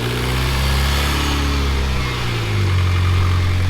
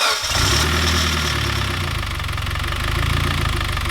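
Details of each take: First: Freshly rebuilt Mitsubishi Evo X engine after its first start: a smooth, even idle that steps up slightly in speed and stays steady, with no knocks or misses. A check-engine light came up for a crank position sensor B. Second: Freshly rebuilt Mitsubishi Evo X engine on its first start: it fires and settles to idle with a loose, uneven low knock for the first seconds, as the bearings run dry until oil pressure builds.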